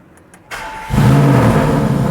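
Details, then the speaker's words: Audi RS7 bought as non-runner, rebuilt engine just refitted, oil topped up, about 2.5–3 L water in coolant, started on boost pack with a weak battery: brief crank, then catches and settles into a steady, even idle, no knocks or misses; normal start. "She's running. I don't know if it's going to cut out when that boost pack stops working."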